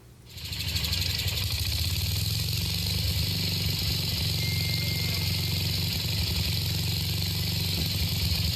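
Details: 1966 Simplicity Sovereign tractor, Briggs points-ignition engine, started with starting fluid: catches within half a second and settles into a fast, even, steady run with no misses; running normally.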